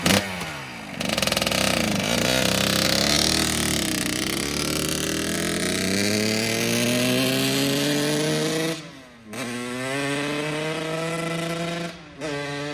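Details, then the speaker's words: 2009 Kawasaki KX85 two-stroke, bought needing more than a carb clean, now running much better: crisp revs climb smoothly and drop back cleanly with no bogging or misfire. Normal running. "That's how it's supposed to sound."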